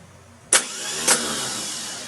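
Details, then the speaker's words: Case 430 tractor (188D engine) starter bench-tested mounted outside the housing so the Bendix can't reach the flywheel: two sharp clacks as the pinion throws forward, then a clean spinning whine winding down; starter works, engine found mechanically stuck. "what you heard was the actual starter motor rotating slamming the Bendix forward wanting to hit into the fly will be but because I've got it mounted on the outside the tractor it can't come in contact with it"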